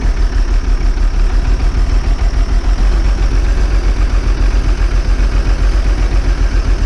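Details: Old bus diesel, cold start after last week's fuel pipe move, started without easy start: low, uneven wandering chug about 220 beats a minute, smoking cold; air drawn in at a wet, leaking fuel return.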